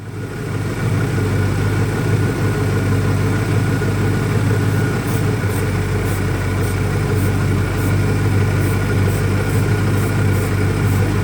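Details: 2001 Ford Mustang Cobra after new Bosch spark plugs: loud low idle loping unevenly at about three pulses a second; still rough, vacuum leak doubted, cause unknown.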